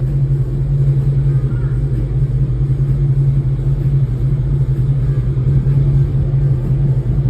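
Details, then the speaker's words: 2006 Dodge Charger Hemi V8 idling after engine wiring harness replacement fixed a cylinder 8 misfire from a shorted harness; scanner shows 0 misfires on all 8 cylinders, AC running; deep smooth unbroken rumble, normal idle. "This time it actually says 0 misfires on all 8 cylinders. That means that there was a short in our harness."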